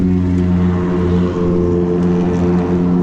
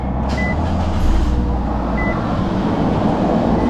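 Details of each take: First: Nissan Versa at idle with damaged exhaust piping: loud, raspy, droning exhaust note far too throaty for a small car, exhaust blowing before being fixed; exhaust leak. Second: Exhaust just repaired, reusing old springs, checked for leaks after startup before warming pipes to burn off oil: steady, even idle with smooth low rumble, no puffing or ticking; exhaust sounds sealed, normal idle.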